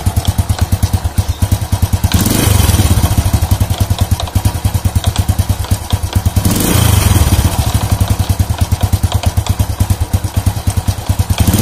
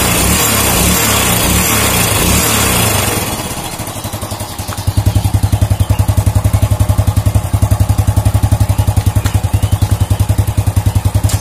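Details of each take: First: Old Honda Supra motorcycle, complaint of clattering from the clutch housing on slight throttle: steady thumping idle with loose clatter swelling on each blip, like a loose bolt. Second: Old Honda Supra motorcycle engine after repair of a klotak/gletok knock on revving: after some handling noise, it settles into even steady firing at held raised rpm, no clatter or knock. Cause was a loose clutch housing with ill-fitting rivets; fixed.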